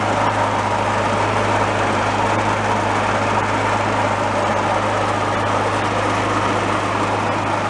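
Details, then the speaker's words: Garage-sale two-stage snowblower small engine after cleaning out debris, started on choke, runs with a steady even drone and no misses; slight front rattling considered normal, belts and tension fine. "nice there we go everything seems good they're always kind of rattling in the front is kind of normal it's just the nature of them"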